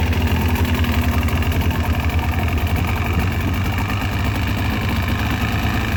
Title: Piston slap 2002 Mercury outboard 115 hp